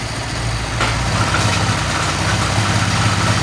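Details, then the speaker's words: Honda Vario Techno 125 FI scooter after water pump replacement and radiator coolant refill: steady, even idle with a smooth low hum, no whine or rattle; engine runs healthy. "motor menyala dengan baik."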